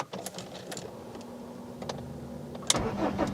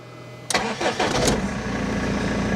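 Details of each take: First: BMW E46 320d diesel with a fuel pressure fault causing random stalls, after a pre-supply pump replacement: it stalled after about 2 minutes, then a long crank of a few seconds before it catches and settles into a steady clatter; cause unknown. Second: BMW E46 3 Series after pre-supply fuel pump replacement, with earlier long cranking and random cutting out: brief crank and it catches at once, settling into a steady even idle; normal start.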